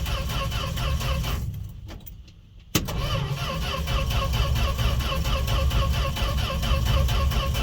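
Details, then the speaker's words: Fargo (Canadian Dodge D100) truck unstarted all winter, cold start without pumping gas pedal: starter cranks steadily about 3.5 pulses a second, short pause, never catches; crank no start. "no joke no nothing just cranking this poor poor thing"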